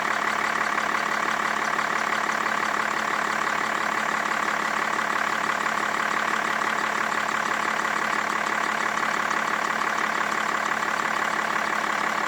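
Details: 2005 BMW E61 525d diesel after water damage to the ECU: steady, even idle with a smooth regular beat, no knocks or misses. Engine sounds healthy.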